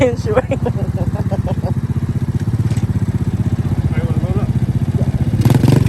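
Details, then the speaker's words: 110cc four-wheeler after alignment, spark plug, new carburetor and stator wiring check: quick even exhaust thumps, revs rising slightly near the end; small single runs smoothly and healthy. "oh yeah that thing sounds good another satisfied customer"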